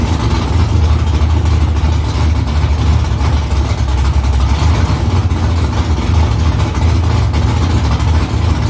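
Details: V8 idling after new headers were installed and exhaust refitted under the car, first start in about three weeks. Deep, loud, even burble with unbroken rhythm and no misses; louder in-cabin with seat vibration. Smoke from drying header silicone. Normal idle.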